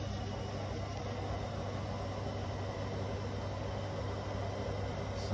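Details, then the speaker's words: Bosch Serie 4 washing machine, 4 months old, 30-minute quick wash, fairly fast (not full 1400) spin after first drain, a couple of feet away; steady even hum, faint low vibration, no knocking or grinding. "and it's not this isn't a full 1400 spanish but it is fairly fast spin just so and if i quiet it yeah there's a tiny bit of vibration but not a lot"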